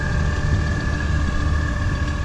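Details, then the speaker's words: Audi B5 S4 after a 2-step launch: lumpy, uneven idle with irregular low thumps, like a misfire. The owner first suspected a bad coil, but scanning traced it to a failed MAP (boost pressure) sensor. "it does kind of sound like it's misfiring so possibly a bad coil"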